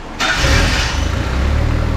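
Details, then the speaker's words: Barn-find Mazda Miata: cranks briefly, catches cleanly and settles into an even, steady low idle with no misses; it pumped 30 pounds while cranking, judged healthy. "oh I can tell you when when you were cranking it with the starter it was pumping 30 pounds yeah I think it's healthy"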